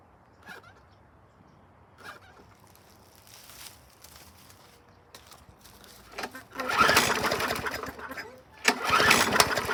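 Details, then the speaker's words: Mower, low on fuel, primed with the primer now pushing fuel: a few pulls, then it catches, runs briefly, drops off and fires again but won't keep running. Water contamination in the tank or pickup bowl is suspected, and the filter is dry-rotted. "kicked off there for a second let's juice it you may have a little uh water contamination in the tank or the water gets in the pickup bowl there in the top of the gas tank"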